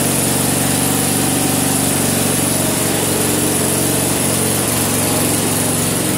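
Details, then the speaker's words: Vintage snowblower small single-cylinder engine, first run after purchase, choke partly eased off: steady, even chug without stumbling or surging; runs healthy. "I can work with that all right that doesn't even sound too bad no kidding well that might be all right"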